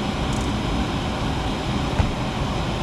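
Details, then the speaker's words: Nine-year-old furnace under warranty, blower motor on high stage (fastest speed) drawing 4.42 A within its rated running load: steady, even airflow roar with low hum, no ticks, rubs or squeal; motor judged fine, capacitor likelier to fail first. "this one's we're running in high stage so that motor's running in high stage that's that's as fast as it runs"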